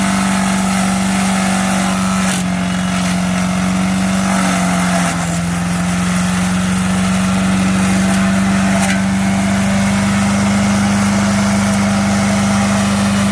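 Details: MTD 5 hp chipper/shredder, revived with a carburetor kit, chipping branches: steady single-cylinder drone sagging briefly as branches feed, then recovering; slow going but a workhorse; normal running under load.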